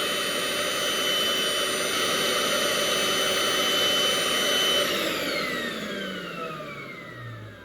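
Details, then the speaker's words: Milwaukee M18 vacuum tested with meter leads on the trigger-switch wire: high steady motor whine about five seconds, then it shuts off and coasts down while 17.48 V is still present with trigger pulled; suspected faulty heat safety (temperature) switch. "All right, so everything's shut off. I still have the trigger pulled, and you can see we're still getting 17.48."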